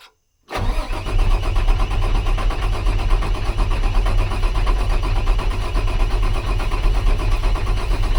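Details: International 4400 DT466 diesel with earlier surging idle, restarted after water pump repair and sitting: steady deep cranking that never catches, worse than before; low injection control pressure, oil system suspected.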